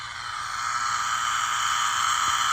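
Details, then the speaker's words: Tri-Field EM100 meter plugged into a wall socket feeding TV and A/V gear, mains about 118 V (slightly under voltage), reading in the thousands: steady hiss with a thin high whistle, slowly louder; electrically noisy mains supply. "It basically, as you can hear it, it measures noise on your line coming out of your wall socket."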